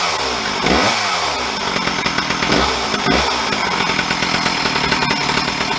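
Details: Stihl 034 chainsaw, parked 10–15 years, reassembled with bar and chain: a clean idle that snaps to full revs and drops back smoothly. Starts well with good compression and is running properly; the owner had suspected a crank seal or vacuum leak.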